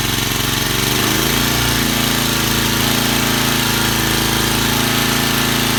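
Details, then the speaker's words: Vintage Cooper Klipper mower with an old points-ignition flathead Briggs, running on choke after WD-40 was sprayed into the carburetor throat. Steady, even putter with no misses or knocks; clean, healthy running. "bad what can i say you cannot beat these old flathead briggs as i don't care what you say"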